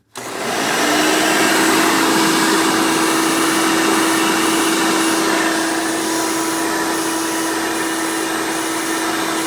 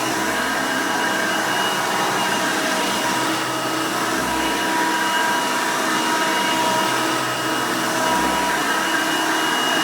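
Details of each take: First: 1990 Hoover Elite 200 U4467 upright vacuum, direct-air motor, using hose attachments: motor whine settles to a steady tone with rushing hiss around poorly sealed fittings; air leaking, weak tool suction. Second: 1990 Hoover Elite 200 U4467 upright vacuum with 5 amp motor: loud, even motor roar, steady pitch, no rattles or surging. Normal running.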